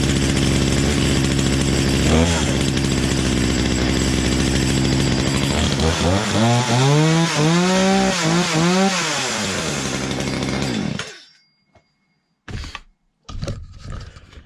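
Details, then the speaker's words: Poulan Pro PP3516 chainsaw after gas line replacement and carb high/low adjustment: fast, buzzy idle that swoops up and down in revs before cutting out; throttle stop screw was all the way in, idle set too high. "right so I was making some adjustments over here on the side and the screw in here for the throttle was all the way in so I had to bring that out until the chain stopped"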